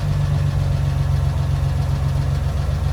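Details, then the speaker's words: 1964 Willys CJ5 with swapped Chevy 4.3L V6, steady idle: a light, quick ticking rattle about four per second over the rumble. Valve train noise that persists after a full engine rebuild; cause unknown. "Can you hear that engine rattling? I can. It still makes that noise."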